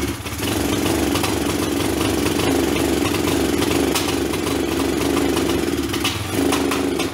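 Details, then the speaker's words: Kawasaki basket-case motorcycle engine on its first start after rebuild, side cover bolts found loose; catches and runs ragged and uneven with clattery ticking over a lumpy idle, believed to be out of valve timing. "that's it for today I believe we got it out of time when I say we I mean me of course"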